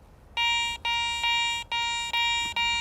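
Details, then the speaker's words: Garrett ACE 400i metal detector, bench test over a bottle cap before iron discrimination and iron audio are set; six clear steady high beeps, each about half a second, sounding like a good target. "I go over it it sounds pretty good in order for it to function I need to discriminate out some iron"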